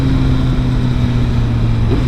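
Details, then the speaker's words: Motorcycle with flashed ECU, factory restrictions removed: steady deep engine drone with a quick clean auto-blip throttle rise on downshift, smooth with no stumble or pop. "let me listen to that auto blip uh smooth as butter worth it in itself taking off the factory restrictions totally worth it"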